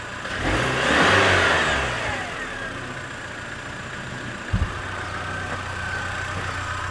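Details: Car engine with poor oil analysis, restarted warm after compression testing, no error codes: fires quickly, flares up in revs for about a second, then drops to an even, steady idle with no misses; some oil smell and brief smoke.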